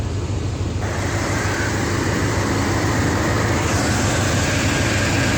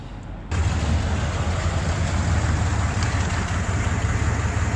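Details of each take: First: Buick 455 big block hot rod wagon with points ignition and Quadrajet carb, cruising without downshifting on new tires; smooth, even engine drone under loud wind and road rush, no ticking or knocking, normal running. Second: Buick 455 big-block V8 with points ignition and Quadrajet carb, running low on oil, checked for lifter noise: catches and settles into a deep, lumpy idle with a rough puffing tick, judged just an exhaust leak, nothing crazy.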